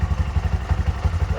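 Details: Bajaj BS6 petrol engine, idling after a rebuild for a failed crankshaft bearing (connecting rod was fine). Even single-cylinder thumping at about twelve pulses a second, steady, no knock or tick: smooth normal idle.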